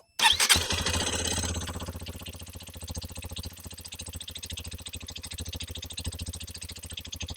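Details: Hero XPulse 210, latest January 2026 batch, about 500 km and bought 10-15 days earlier, mic placed at the engine for a start: after a sharp start it settles into an even, steady idle with no tappet noise.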